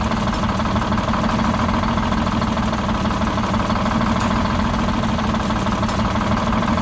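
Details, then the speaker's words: Old Detroit Diesel 6-71 two-stroke, last run before removal: loud steady idle with an uneven, lumpy beat where one cylinder drops out; dead cylinder misfire that seems to worsen as it keeps running. "so mmm it's almost like that it's getting worse as time goes on"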